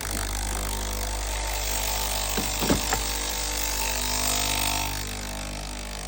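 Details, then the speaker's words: Breville Oracle Gen 3 BES980 dual-boiler espresso machine during a service, opened up and run at full pump pressure for a flush: steady vibratory pump drone, even apart from a few clicks, no leaks. Normal pump operation. "As you can see, no leaks. It's now at full pressure at the pump. It's a good good flush."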